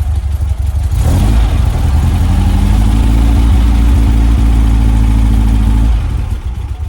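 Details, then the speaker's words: 1967 VW Splitscreen flat-four after service with new spark plugs, HT leads and distributor cap; earlier slight backfire cured. Starts cleanly, settles to an even beat about four pulses a second, revs and drops back smoothly without popping; normal idle and rev. "Before I was getting a little bit of a backfire. With the spark plugs, leads, dizzy cap, sorted that out."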